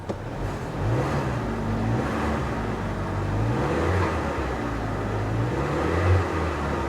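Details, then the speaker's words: Copart auction car, left sitting about a year: an earlier mechanical-sounding noise fades as it runs, leaving a smooth, settled idle with a soft low hum and no ticking; normal idle. "In fact, it's getting quieter. Ah, and now it's quiet. It went away. The noise went away."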